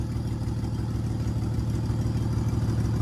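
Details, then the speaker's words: Ford Falcon AU with 237,000 on it, idling rough and not yet revved: a low, lumpy, uneven pulse about three times a second; misfire later thought to be an oily number six spark plug, with plugs from another AU then fitted. "I don't know why it's running a bit rough but I'm pretty sure it'll sort itself out be something basic probably a lead or a plug"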